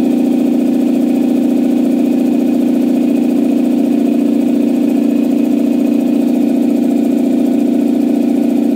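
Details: Campbell Hausfeld 2-cylinder air compressor, test run after head gasket replacement (gasket dimpled for the divot) that fixed it only pumping to about 5 PSI. Steady even pumping chug at a constant pace, no knocks, hiss or labouring; normal compressor run.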